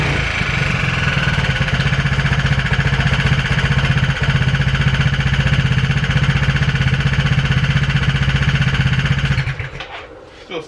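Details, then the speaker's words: Aprilia SR Max 300 scooter with a new exhaust and a recently rebuilt transmission, idling: a sharp, regular, loud tick of about four per second over the engine note; owner suspects connecting rod bearing. "Engine's making a loud ticking noise. I think maybe the connecting rod bearing or something like that."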